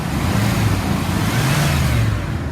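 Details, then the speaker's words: 2002 Dodge Ram 3500 utility truck, 5.9 L V8, automatic, 138,124 miles, warm after nearly an hour running: deep, even rumble while revved and idling, no misses, knocks or rattles; engine revs up nicely and idles smoothly. "up nice, idles smooth."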